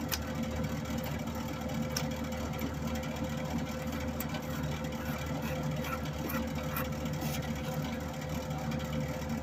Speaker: moment of truth as a friend of mine used to say right you'll hear a whirring on